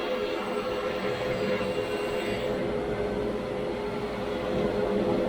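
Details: Grizzly G1021 15-inch planer (1985) with 2 HP motor, just after fitting a new helical cutterhead: steady, even cutting roar with constant hum and no chatter or knocking as a board feeds through; normal, far quieter than before.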